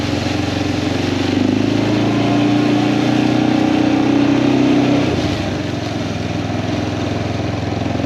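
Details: Kawasaki Prairie 400 ATV after engine rebuild, riding test: steady single-cylinder drone under load, rising then easing with throttle, smooth with no knocks or rattles; runs fantastic, float still needs adjusting.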